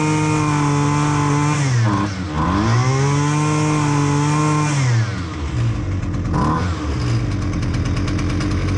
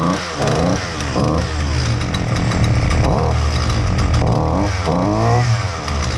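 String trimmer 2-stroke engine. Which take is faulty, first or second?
second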